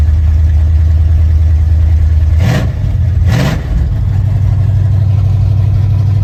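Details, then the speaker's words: Mildly built 351 Windsor V8 (probably a small cam, roller rockers, gear-drive timing) in 1980 Ford F-150, after slight timing adjustment: lumpy steady idle, two throttle blips climb cleanly and settle; good oil pressure, healthy. "I mess with my timing a little bit it's sounding a lot better now yeah she's Rowdy good oil pressure"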